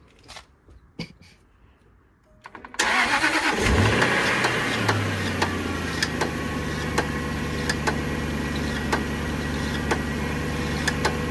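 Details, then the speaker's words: Jaguar XKR X150, engine cold after sitting a couple of days: sharp regular tick-tock about two to three per second as engine catches and settles to idle; gone once warm or on warm start. Owner suspects belt jump, unconfirmed. "okay so when I start the car up cold a strange um tick tocking sound comes from the engine"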